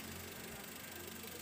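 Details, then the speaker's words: 2004 Toyota Avanza 1.3 G manual petrol, about 20 years old, idling: quiet, even idle with a soft steady hum, no ticking, knocking or hunting; engine described as healthy and responsive, normal idle. "Ini pokoknya siap pakai, dan seperti yang aku bilang tadi ya, ban udah tebel semua, mesin sehat, responsif, dan untuk beberapa part variasi ya, ada juga bagian belakang."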